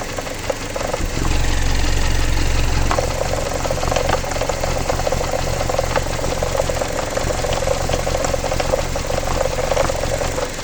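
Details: Jeep Patriot 2.4 petrol engine idling with a steady rhythmic knock at about three per second over the idle; owner asks what it could be, cause suspected but not confirmed.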